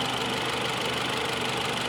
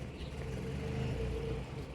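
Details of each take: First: 2018 Mitsubishi Outlander with P0113 intake air temperature sensor 1 circuit high code, reported running rough, idling: steady even hum with no knocks, stumbles or hunting; engine sounds healthy, normal idle. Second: 2018 Mitsubishi Outlander with code P0113, intake air temperature sensor 1 circuit high, suspected ground fault: low, lumpy idle swelling and sagging every few seconds, barely running.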